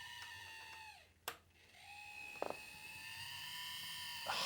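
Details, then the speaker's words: Dapol 0-4-0 Sentinel 'Molly' model locomotive with a 5-pole motor, on its first run at creep speed: a thin, high-pitched whine that wavers and climbs, harsh and grating; a very noisy drive train. "It's horrendous. I can't believe what a noise is coming from such a tiny model."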